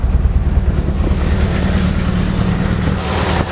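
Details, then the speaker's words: 1992 Honda Accord (CB7) track build with new wiring and base map, before first test drive; low, even idle with a light rattle from unbolted loose parts inside the cabin; engine itself runs smooth; normal idle. "but yeah there you go it runs it runs smooth"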